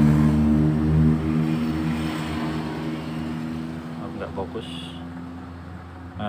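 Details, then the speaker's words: Honda Beat ESP injection scooter whose owner complains it runs rough and sometimes stalls: the idle is rough and uneven, then sags as if about to die. The worn spark plug had an excessive gap, and replacing it cured the misfire. "ini tadi motornya brebet terus saya cek ternyata busi jadi yang punya itu keluhannya brebet kadang juga mati kondisinya seperti ini"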